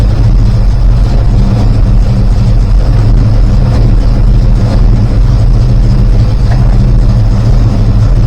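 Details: Rebuilt 360 V8, warming up: rpm lowered and timing cut to just under 10°; loud lumpy idle with irregular exhaust bangs, suspected unburned fuel, cause not pinned down.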